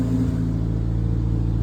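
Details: Car with Haltech ECU idling with ignition timing locked and set well off: short blip, then a lumpy, uneven low idle with a harsh, strained note.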